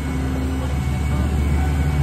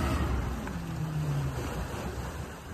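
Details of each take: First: Jasper 4.3 marine engine run in a test tank, brought up to part throttle with no full throttle; smooth, even deep hum with plenty of power, after a carburetor hesitation earlier; later gauges show oil pressure, 120 and 60 quoted. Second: Jasper 4.3 marine engine in a test tank, revved to about 2,000 RPM then throttle chopped; revs fall and it dies instead of idling. Accelerator pump is struggling, and the carburetor needs a rebuild.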